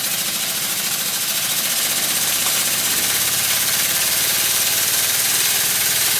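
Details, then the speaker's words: Circa-1896 model steam engine on live steam from a boiler plant, steam blowing from its dummy piston rod gland. Once water clears the cylinder it chuffs fast and evenly under a steady hiss, no knocks, deliberately at very high speed: runs very well. "And as soon as the water clears from the cylinder, it starts to run, and it runs very well. Time to stop talking for a while, so you can both see and hear the sound of the engine."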